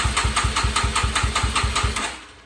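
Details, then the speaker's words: Non-running 2006 Yamaha TTR-230, powered from a jump box with a dead battery: fast even cranking about nine chuffs a second with compression pulses but no firing; spark and compression present, fuel system suspected. "like doesn't sound great but it does sound like it has some compression"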